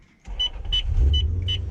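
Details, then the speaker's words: Toyota Lexus LS400 (UCF20) V8 with 425,000 km, just started and idling: low rumble with a sharp high chirp about every third of a second, an exhaust leak. "And you can hear there's a bit of an exhaust leak there too, eh? Did you hear that exhaust?"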